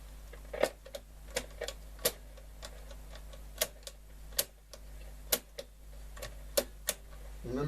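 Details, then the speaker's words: Bush VHF61 valve radio (c.1960), long stored in a garage, warmed up after a capacitor change: irregular sharp crackles and ticks over a low steady hum; crackling noise fault. "So once the set is warmed up, and you can hear it, but there's noise there."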